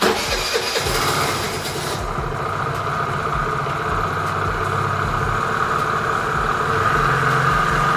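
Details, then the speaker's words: Cold start of a Piaggio Vespa 50 LX scooter after carburetor adjustment, first start from cold: catches within seconds with no throttle, then settles into a smooth, steady buzzing idle; healthy. "Хорошо завелся, без газа, без ничего. Сейчас прогреется и буду дальше собирать"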